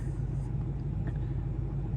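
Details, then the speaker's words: LML Duramax diesel truck on day 3, right after an easy start; steady even idle with no stumble or dying. The stalling problem only occurs in severe cold, despite new batteries. "Keep running, keep running. And see, no problem."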